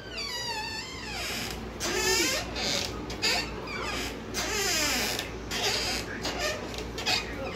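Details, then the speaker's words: Dry, unlubricated bedroom door hinge squeaking as the door swings: long, wavering, high-pitched squeals; fix suggested is lubricating the hinge, shampoo if no oil is available. "certo eu gostei eliminar esse barulhinho aí chato se você por acaso não tem aquele óleozinho aí para colocar aqui na Rua Batista colocar aqui na dobradiça"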